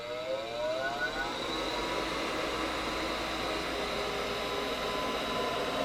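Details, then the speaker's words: Gas furnace with a no-gas, no-ignition fault, on power-up: inducer motor whir rises in pitch then holds level during the safety check before the igniter; gas valve later fails to open; normal inducer motor startup. "It's going through its safety check. Switches are closed. 10 or 15 seconds or so."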